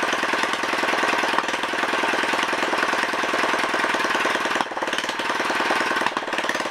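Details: Honda ES4500 generator engine, test fired after rebuild with no exhaust fitted and choke used: loud, crisp, rapid unsilenced firing at a steady, even speed with no misses or knocks. Runs well.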